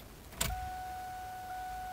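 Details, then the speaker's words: 2000 Mustang GT, key-on after reconnecting the unplugged fuel pump: click then steady high electric hum that holds; fuel pump priming normally. "okay now i hear the pump cycling"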